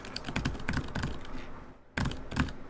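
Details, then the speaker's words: NK65 keyboard during a swap away from Glorious Lynx switches: bursts of keystrokes with a dry, scratchy rasp on each press instead of a muted thud; switch not silent, one tilted. "Ew. This is not even silent. That's scratchy."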